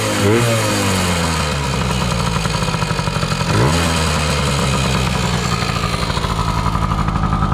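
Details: 2000 Yamaha PW80 two-stroke on a new genuine Mikuni 21W-14101-01 carb at factory settings, replacing a leaking Chinese carb: crisp ring-ding idle with quick blips rising and falling cleanly; carb metering fine, normal idle and revving.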